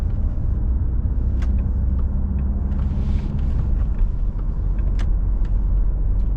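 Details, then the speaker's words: 2015 Citroën C5 2.0 HDi 140 Exclusive diesel, hydraulic suspension, driving with engine still cold: soft muffled diesel drone under road rumble, engine only lightly audible; normal, quiet cold running. "Donc on entend légèrement le moteur, mais c'est pas trop... c'est assez feutré, le niveau sonore. Et encore, là, on est à froid."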